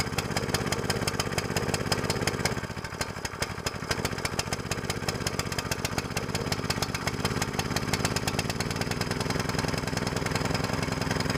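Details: New small single-cylinder longtail mud motor on 10W-30 break-in oil, after fixing choke setting: rapid steady putter with a brief speed dip, then even running at moderate revs during break-in varying rpm below max throttle; healthy.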